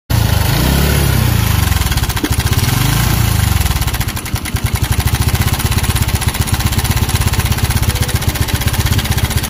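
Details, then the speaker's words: TVS Victor BS4 motorcycle at idle: loud single-cylinder note with a rough, fast rattle riding on about four beats a second, caused by a worn timing chain or tensioner; timing chain tensioner rattle. "దీనికి simple గా ఈ sound అయితే ఎందువల్ల వస్తుందంటే మనకి timing chain గాని tensioner గాని పోతే మనకి ఆ విధంగా అయితే సౌండ్ అయితే వస్తుంది"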